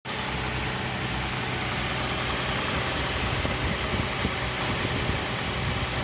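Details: 2nd-generation Toyota Tacoma pickup on a cold start below 35 degrees, faint, fast, light ticking over a rough, noisy idle, heard only for the first five minutes; cause unknown.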